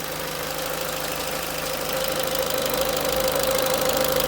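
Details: Peugeot 307 1.6 16V 110 hp at idle: a light, fairly regular ticking at about four per second over a steady idle with a thin whine; source not identified; ticking noise at idle.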